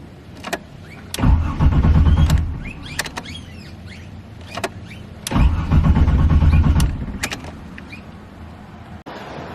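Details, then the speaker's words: BMW E46 fitted with a turbo Buick 3800 V6, first start attempt after a new battery. Two bursts of brisk, even cranking that never fire. Fuel pump heard running; owner suspects fuel isn't reaching the engine. Cranks but won't start. "pretty good sign engine is turning over but for some reason it's not starting i can hear the fuel pump turning on"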